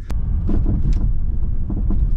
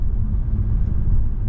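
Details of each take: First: Mercedes E350 on the road after one drop link was replaced: irregular dull knocks from the front over bumps above road rumble, possibly louder than before, seemingly front right; worn anti-roll bar drop link suspected. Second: 2009 Mercedes E350 driven over a proper bump after fitting two new drop links. Only a low, smooth road rumble with no clunk or knock; the repair fixed it.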